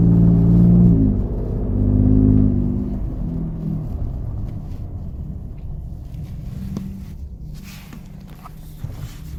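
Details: Gen2 Ford Raptor, warm, under light acceleration in the first few gears around 2,000 rpm in 2WD or 4WD: a deep knock that fades as revs drop. It was a cylinder 4 rod knock from a spun rod bearing; the engine was replaced under warranty at 22k miles.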